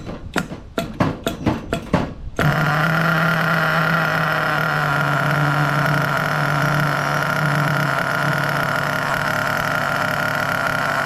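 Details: New engine during break-in: pull-start bursts, then catches and holds a steady even high-pitched buzz with no misses; healthy break-in run.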